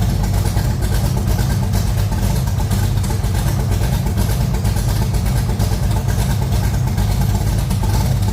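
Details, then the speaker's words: Ford 393 stroker V8 in a Fox-body Mustang after repair: deep, steady, even rumble, the earlier rocker knock gone and the rockers sounding much better, with no ticking or knocking from the top end. "all seriousness the Rockers actually sound a lot better"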